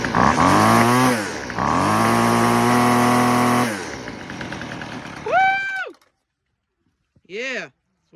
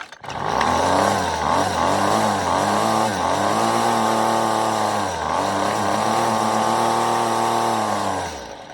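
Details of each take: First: Weed Eater FeatherLight Plus FL26 two-stroke string trimmer with a new replacement carburetor, after idle screw adjustment: picks up cleanly to a high, steady scream, holds it, drops back and blips crisply; running properly. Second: Weed Eater FeatherLight Plus FL26 two-stroke string trimmer with a new replacement carburetor: high buzzy revs keep swinging up and down every second or so instead of settling; surging idle while the idle screw is being adjusted.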